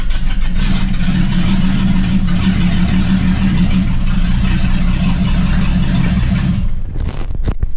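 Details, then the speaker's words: Jeep XJ that runs smoothly but will not idle, before exhaust and sensor repairs; deep steady rumble held on throttle about seven seconds near 1000 rpm, then dies abruptly once throttle is released: engine stalls at idle, cause unclear. "right so as you can see there I can get it fired up I can get it held in rpm but as soon as you let off and stop babying the throttle it'll cut"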